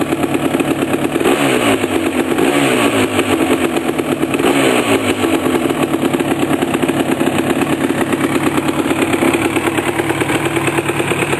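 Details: 1988 Suzuki LT250R two-stroke first start after complete engine rebuild: crisp crackling idle with clean throttle blips climbing and dropping without hesitation; normal running.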